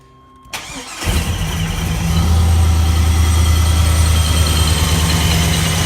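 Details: 1978 Chevy Caprice Classic Aerocoupe with a 5.3 LS (LM7) swap and ProCharger, first start-up: the starter whirs briefly, then the V8 catches and settles into a steady, deep, even idle with no knocks or misses. Normal, healthy start.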